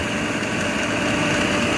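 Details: 2001 Coleman Maxx hot tub pump: loud steady whirring hum with rough buzzing edge; pump running noisily, likely needing replacement soon, foam in water, heating works.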